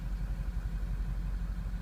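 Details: 6.0 Powerstroke diesel, codes P0404 P1335: deep lumpy idle stumbling badly under throttle with smoke; stuck-open EGR valve and failing EGR cooler, tested by commanding turbo VGT percentage.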